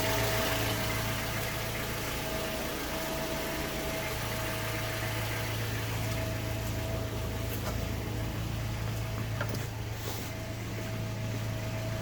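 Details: Mazda 3 BL 2.0 MZR DISI after cold start: steady hum and injector ticking with an uneven metallic knock at idle; owner suspects piston slap or rod bearing, unconfirmed.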